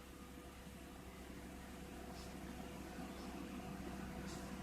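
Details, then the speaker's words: Hyundai Trajet at idle with AC on, after replacing engine mounting bushings with Lancer bushings: quiet even hum with a faint steady AC-load tone, no shudder or knocking; only slight vibration, dashboard no longer visibly shaking as before. "Coba kita pakai AC getar sih cuma nggak sampai gitu di dashboard"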